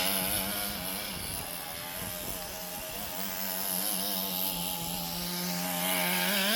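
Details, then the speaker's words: Roughly 20-year-old restored HPI Nitro Rush Evo nitro RC buggy with new glow plug and fresh fuel, warmed up and tuned, driving around the garden: high buzzy note rising and falling smoothly, pulling cleanly without stumbling, working as it should. "So there you go. As you can see, 20 odd year old nitro buggy, completely working as it should do."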